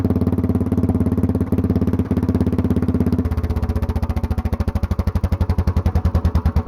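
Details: Mostly stock Honda clone single with stage-1-style header, 10 lb cast-iron flywheel, cam modified; choke-on start, slow soft chuffs while the automatic compression release works, then suddenly louder and quicker; normal start-up.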